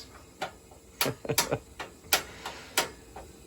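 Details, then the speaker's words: Residential steam heating boiler: sharp irregular metallic bangs and pings, several a second in bursts; water hammer as steam hits water in the pipes, with deficiencies noted on the boiler installation. "so the banging you know as I said before the banging sounds that we're hearing right now is water violently exploding when steam which is created by this boiler uh hits it"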